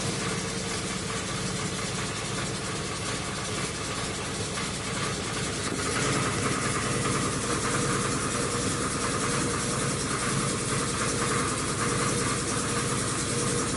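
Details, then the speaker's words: Rebuilt 2005 Chrysler 300C 5.7L Hemi, first start after rebuild, oil spilled on headers: rough idle with fast uneven deep knock about three a second; sounds like a rod knock, cause unknown. "you hear that that sounds like a fucking rod knock and for what reason is knocking i have no idea"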